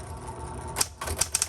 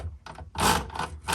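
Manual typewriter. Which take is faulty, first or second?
second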